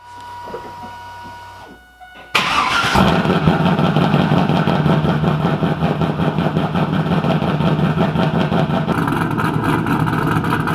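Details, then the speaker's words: 2000 Pontiac Trans Am WS6 V8 with BTR Stage 4 cam, long-tube headers and Borla catback, after the spark plug change: quiet, then it cranks, catches cleanly and settles into a steady, even idle with no misses; runs good. "I know seems like it's running good"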